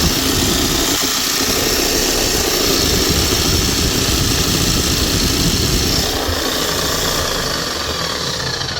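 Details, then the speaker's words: Bosch hammer after bearing change and new brushes: loud hammering with rough crackling hiss over the motor whir, uneven splutter; motor suspected sparking inside, otherwise running smooth. "You can tell just with the sound. You can hear a we spluttering sound coming from it. He's running smooth otherwise."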